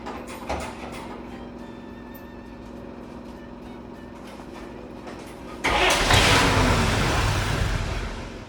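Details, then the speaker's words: Restored 1953 Chevrolet 3/4-ton pickup, original straight six with headers, split manifold and dual exhaust: fires up into a strong, even exhaust rumble with a steady beat; running good, sounds healthy. "I got it running good. Sure, let's check it They out. sound great. 6 cylinders with headers. Split manifold."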